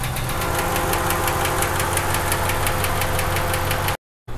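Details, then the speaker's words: V8 at idle before an ATF lifter-cleaning oil treatment: a sharp, steady tick about three or four per second, blamed on a dirty or collapsed lifter. "Now you guys hear that, it is definitely ticking. So this is before we do the oil treatment."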